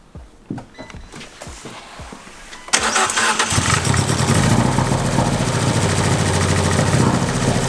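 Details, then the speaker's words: Fiat 500 Abarth after a 124 MultiAir valve spring upgrade: a few seconds of cranking, then it catches cleanly into a steady, even idle with no misses. It was oil-primed with the coils unplugged; a check engine light is on, possibly from unplugging things. "[Music] well it's running normal now I got a check engine light so I'm gonna check the scanner and just see what it is it could just be something from unplugging a lot"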